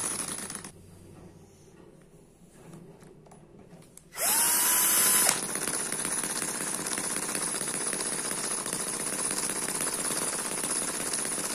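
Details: Eachine EM1 (same as M14) four-stroke opposed double-piston mini engine running steadily at low speed. It is not a high-speed engine and sounds like a sewing machine: fast, even high-pitched buzz with light exhaust popping. Runs well, almost no vibration; normal running.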